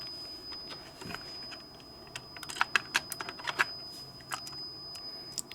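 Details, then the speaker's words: Pioneer CT-F950 cassette deck, tape removed: a thin, steady high-pitched buzz under light clicks keeps sounding because the cassette-insert arm's micro switch isn't sensing properly; the sensor switch is stuck. "see it's still there still buzzing it's not uh switching if we just give it a a little tap you can hear it making contact just a little bit more yeah so this arm for inserting the cassette is not being sensed properly"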